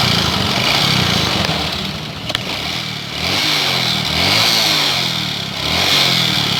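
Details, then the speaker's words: Honda Supra X 125 motorcycle that often runs out of oil, running before teardown: uneven coarse note and gritty hiss over a wavering idle; rough-running, cause not yet found. "Sepeda motor ini sering kehabisan oli dan suaranya pun kasar."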